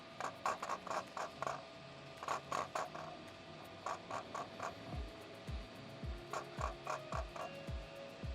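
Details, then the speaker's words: Tamron 70-200mm lens shaken by hand with the mic pointed at it: quick bursts of light clicking rattle, about four a second, as something inside has come loose. Owner suspects the VC image stabilization; not confirmed. "Something is like loose down here, so I'm going to test this and hopefully it still works."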